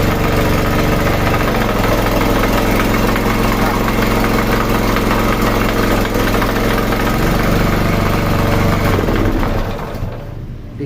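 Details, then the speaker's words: Sanchin 30 steam sprayer pump before repair: heavy, fairly steady knock about four times a second while running, dying away at shutdown; suspected loose crankshaft bearing (left or right) or connecting rod. "situ tadi terdengar suara yang sangat keras sekali itu kemungkinan kerusakan ada di bearing entah bearing sini atau bearing kanan kemudian di stang pistonnya Mungkin ada yang oblak"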